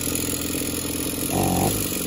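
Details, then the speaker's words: Small two-stroke engine revving in short bursts with a rough, rattling connecting-rod knock; teardown showed it squeaks when pulled through, has no compression, and is burnt up inside. "the rods knocking like crazy listen to this"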